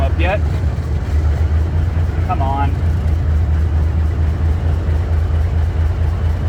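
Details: Cummins NHC250 diesel in a 1980s M818 5-ton military truck, first test run after adjustments, oil pressure up to 60 psi: deep, steady idle with an even beat, no knocking or ticking; running better than when bought with a popping noise; normal idle.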